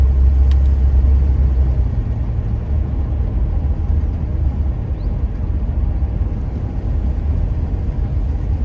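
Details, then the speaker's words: 1975 Jaguar XJ6 on its first test drive after the cylinder head came back from the machine shop, about 60 to 70 km/h, engine flushed: steady deep drone pulling evenly under load, no knocks or misses, road rumble behind; engine sounds healthy. "everything else seems to be working like it did before engine sounds good it's pulled strong"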